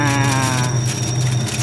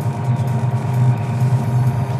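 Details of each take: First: Automatic washing machine converted to manual timer, spin run after drain motor pulls the lever: loud, wavering squeal over the motor hum as the tub spins; usually something dry, per the speaker, unconfirmed. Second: Automatic washing machine converted to manual timer after module failure, wash motor via timer: steady hum runs, stops briefly, then restarts as the agitator reverses back and forth; normal wash action.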